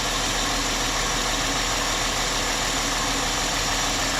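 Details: 2003 Chrysler Sebring 2.7 after used-engine swap and a new crank reluctor, cam and crank sensors connected, starting right up: steady even idle with constant hiss-heavy hum, no skips or knocks; cam/crank pattern correct, normal idle.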